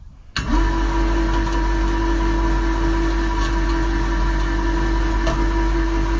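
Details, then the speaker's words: Electric hoist motor lifting two loaded buckets: it kicks in with a steady low drone that never picks up speed, labouring and stalling under overload. "Which it was just, you can hear it failing. So I won't push it anymore."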